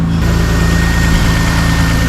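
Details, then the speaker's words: BMW E30 petrol engine at its first start after repair, idling smoothly with no whine or knocking; the earlier horrible noise is gone, possibly because the system was bleeding up. Normal idle. "It seems okay. It's not making that horrible noise anymore, but I guess it was just bleeding up."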